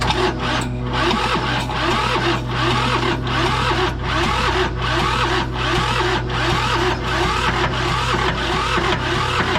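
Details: John Deere 650 subcompact tractor, two-cylinder Yanmar diesel, sat 15+ years, 80W90 oil added to cylinders for compression: slow uneven cranking, chuffing about once a second, no catch; crank no start.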